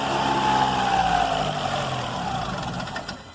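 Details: Engine with new drive belt fitted revs then settles smoothly with an even, clean note, no chirp or squeal; the earlier engine noise was cured by replacing the worn belt, alternator fine: normal running after repair.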